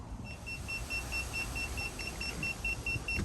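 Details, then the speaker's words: Aquasana UV water sterilizer, just over a year after installation, reset failed: rapid steady high-pitched beeping, about four a second, alarm signalling a UV lamp failure; fix is replacing the bulb. "This is what the unit sounded like, the alarm. So this is what prompted me to do this whole video."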